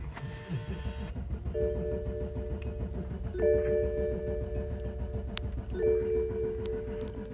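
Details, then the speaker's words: 2008 BMW 750i crank no start at 47°F, key inserted: steady strong starter cranking about 3.5 pulses a second, never catches; seems to have good compression, owner unsure if fuel or spark is missing. "Still cranking. Wow, I'm surprised it cranks this long. Well, it does say it's got gas in it. I don't know if it does or not. I don't know if this is not getting spark or compression."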